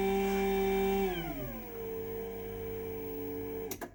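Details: New 2024 Chamberlain/LiftMaster DC belt-drive garage door opener closing: loud steady vacuum-like whine dropping in pitch as the motor slows, with heavy vibration; noisy motor.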